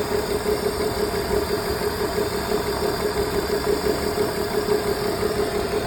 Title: BMW e46 misfire (check on)